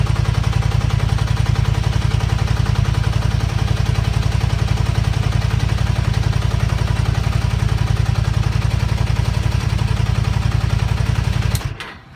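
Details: Zelvis 250, fast even chatter on cold idle, steady until shut off; owner suspects loose cam chain tensioner letting chain rub, unconfirmed; noise goes away when engine warms up.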